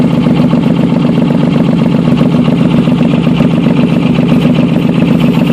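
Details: Engine at steady idle with a sharp, raspy puffing tick in time with the firing, about four per second, pointing to an exhaust leak.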